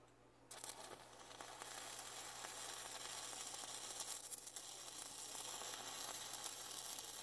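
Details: Vevor MIG 270 3-in-1 welder in stick mode with a 6011 rod, turned up to 22 volts after a failed try, run by a first-time stick welder. Steady crackling sizzle after a short quiet lead-in; the arc holds evenly.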